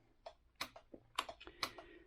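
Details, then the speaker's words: BMW R1150GS rewired heated grips and high beam onto relays: crisp dry clicks, about eight in two seconds, as beam switches in quiet room; relays switching normally. "by the relay you can hear it clicking hopefully so this right one is for high beam and the left one is controlling the heated grips"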